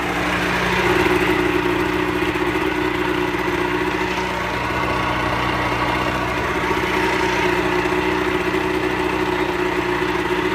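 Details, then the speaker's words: Pelin Nomad boat's two-stroke outboard on fast idle, out of the water; even, steady burble with no misses, knocks or rattles, a pretty smooth normal runner; only a drip from the telltale, plenty of water from exhaust ports. "she's a pretty smooth runner, as you can probably hear."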